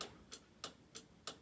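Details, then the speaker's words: Hazard lights on a RWD Mk2 Scirocco 1.8T 20v build, fitted with a new hazard relay and fresh wiring. Crisp, even ticks about every third of a second over a quiet background: the new flasher relay is clicking normally. "fitted a new Hazard relay um just done a little bit of wiring with that so they now work as well at the back"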